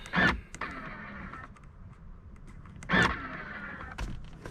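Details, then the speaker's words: Audi Q7 left third-row electric folding seat: two short scraping motor bursts with a faint whir as the actuator runs, seemingly releasing only on one side, but the seat stays stuck and never folds; failed fold mechanism. "you can hear it actuating but it seems like it's just releasing on this one side and uh it's not actually going down it just doesn't work"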